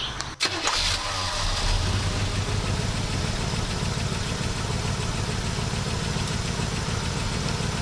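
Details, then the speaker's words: 1967 Buick GS340, after water pump replacement and swapping faulty new points for an old set: catches quickly with a brief crank and no throttle, then settles into a steady, even V8 idle with no misses. Normal start and idle. "Don't even have to push the gas."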